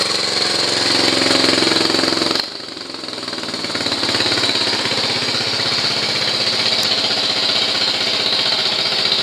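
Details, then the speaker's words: Honda CT110 postie bike single-cylinder after idle mixture screw turned a quarter turn leaner and idle speed wound down: steady, even slow putter with no misses or stumbles; nice slow idle. "when you hear the pitch change that's the rpms changing i'm still really happy so i'm going to one down a little bit further that's a really nice slow idle"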